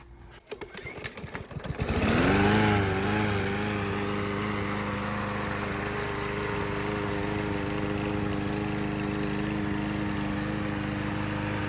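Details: Troy-Bilt TB110 mower with Briggs & Stratton plastic carb, after cleaning the dirty carburetor and repairing the pull cord: a couple of pulls, then it catches into a smooth, even buzz with no misses or surging; runs healthy.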